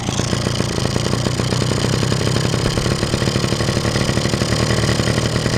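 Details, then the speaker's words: Two-stroke scooter after a carburetor rebuild, warming up. With the choke pulled out, revs lift slightly as they should when warming; idle is steady and even with no stumbles. The mixture screw is suspected of causing the earlier problem. Normal idle. "мотор начинает немножко прибавлять обороты. В принципе, как он и должен делать на прогреве. Вот. А на холостом работает нормально. Провалов нет."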